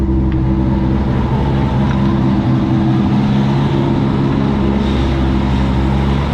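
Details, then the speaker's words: 2002 Chevrolet Corvette C5 Z06 with LS6 V8, roughly 65k miles (uncertain), engine test at a wrecking yard: deep, even V8 rumble holds steady with no knocks, ticks or misses; nice, healthy LS6 running normally. "Nice, healthy LS6."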